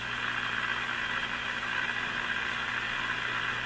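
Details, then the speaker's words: Brand and Millen DR-102U tube AM radio, capacitors replaced, tuned to 780 with signal generator removed: hiss, low steady buzz and faint tones, no station; household electrical noise picked up, confirming the owner's theory. "There's just so many uh noise signals kicking around my house and I suppose most houses these days that this is the kind of thing you're up against when you're fiddling around with a uh uh an AM radio"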